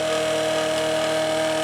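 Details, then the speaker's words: Late-1980s Quasar VH5471-K VCR (Panasonic mechanism) in play mode: loud steady high-pitched whir of the capstan motor spinning far too fast, very noisy; cannot control capstan speed. "so another customer is like a running full-speed whenever it is supposed to be playing you can see through and it's also very noisy"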